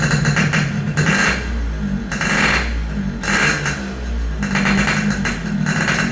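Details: Yamaha RX King two-stroke after repairs for compression loss (worn right crankshaft seal and O-ring, resurfaced block, fixed head leak), test start while tuning air screw: crisp revs rising and falling in bursts about every second, settling cleanly; healthy.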